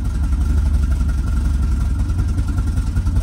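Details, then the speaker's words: 1967 VW Type 3 Squareback during break-in, just after fitting a Pertronix Flame-Thrower SVDA vacuum-advance distributor: low, lumpy, uneven idle that surges and stalls once the throttle is released; ignition timing badly off before re-timing. "yeah the timing is just way off oh it's like almost gonna die yeah that died"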